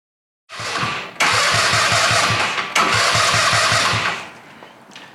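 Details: Go-kart on a wrongly supplied replacement CDI (smaller than the bulged original, same plug): starter churns in quick even pulses, about three a second, over two long bursts, but the engine never catches; crank no-start from the wrong CDI.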